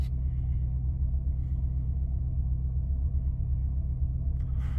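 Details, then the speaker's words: Warm 2005 Maserati Quattroporte, 4.2 litre Ferrari V8, restarted after cooling: radiator fan off, idle settles at 975 rpm. Deep, even low rumble, no misses or knocks, perfectly steady; normal idle. "Fan's gone off, revs have gone up slightly. We're staying around 950. Bang on 950. It's going to be 975. Sorry, 975."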